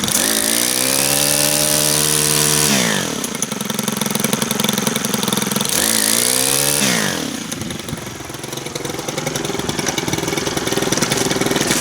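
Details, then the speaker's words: Brand new Stihl FS91R two-stroke string trimmer, primed and started on first pull; revs up then sags as throttle drops, idle falling low and unsteady as if about to die, idle speed set too low. "You know, it's got fuel, and start the first pull. Idle's a little low, but"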